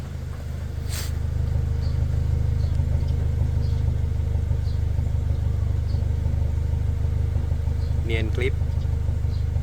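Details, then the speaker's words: Toyota Fortuner petrol engine, probably 2TR, on petrol after repair of cylinder 2 not firing (rodent-chewed wiring): steady, even low exhaust rumble at idle, no more stumbling. "ไม่มีสะดุดแล้วฮะ"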